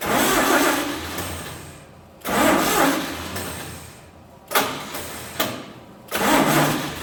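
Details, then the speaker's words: 1948 Chevy truck engine, unrun for 30 years, diesel fuel in oil pan, first start: repeated cranking bursts briefly catch and die; no spark because cheap new ignition points burned from 12 volts. "make our points about too hot cheap Chinese points are uh burned already because they don't like 12 volts"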